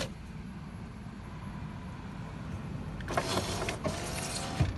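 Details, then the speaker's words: Lexus ES300 with a no-start problem, cabin: after quiet, a smooth power window motor whir for about two seconds ending in a soft thunk; window works normally, electronics fine. "стеклоподъемник пашет короче Электроника на месте"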